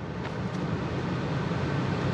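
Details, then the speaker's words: Ford F-150 after recirc/fresh air door repair without removing dash, blower tested at max speed with dash side open: steady even rush of air, no shaking or rattling, blower motor healthy. "no shaking no rattling blowing lots of air that's a really good sign"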